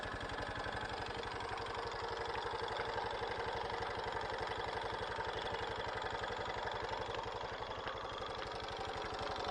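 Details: Honda Super Cub JA07 idling after suddenly turning noisy: quick, even light clatter over the exhaust beat; the owner says it never made this sound before, cause not yet found.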